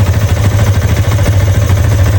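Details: Yamaha Y15/Y16 motorcycle idling: steady low idle with dull knocking on each beat, silent when the clutch lever is pulled; worn clutch housing with free play, balancer also suspected as a wear item.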